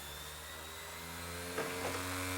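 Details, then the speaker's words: Optical drive in a Mac Mini (late 2005 G4 or mid 2007 Core 2 Duo) loading a game disc: constant high whirring whine that won't stop, system vibrating across the desk; owner suspects something wrong with the disc. "that noise is terrible it just won't stop"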